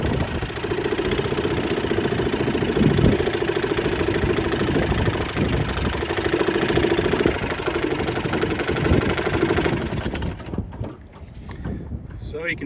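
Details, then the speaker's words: 1938 Bendix Eclipse SMD 2.25 hp single-cylinder antique outboard, saved from scrap: steady, even putter about three to four beats a second, fairly quiet, then shuts off; runs pretty well, compression seems barely enough. Normal running. "it's not a Powerhouse but it runs pretty well"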